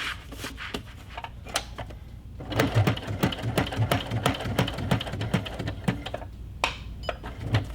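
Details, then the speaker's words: Sewing machine with a longer, thicker denim needle stitching durable Kraft-Tex paper fabric for a tote bag: a heavy, uneven clunking stitch rhythm of about three per second with short pauses while pivoting; this clunky sound is normal for this needle. "sewing with a denim needle, because denim needles are a little bit longer and thicker, it's going to sound like your machine is clunky. So don't be scared, that's what it sounds like."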